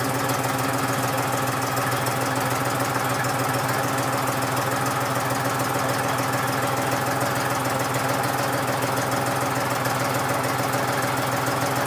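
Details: John Deere 5103 diesel tractor, really cold start at about 29-30°F after sitting a few days unstarted; steady idle with even, light combustion clatter, no misfires or stumbling, normal cold warm-up idle.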